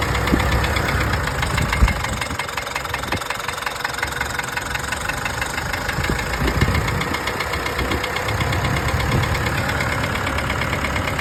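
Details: Mitsubishi Triton 4N15 diesel idling with smoke from the oil dipstick: hard, rapid knock over a rough, clattery run; owner suspects piston rings, mainly from turbocharger trouble, not confirmed.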